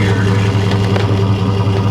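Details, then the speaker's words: 2001 Dodge Durango SLT 4.7L V8 4x4 idling after jump start, mic at tailpipe; Flowmaster 40 series single-in single-out muffler with MagnaFlow catalytic converter, aftermarket intake; deep steady even burble, no misses or rattles; normal exhaust note. "bring it around to the exhaust this is a flow master 40 series uh single in single out along with the Magna Flow catalytic converter"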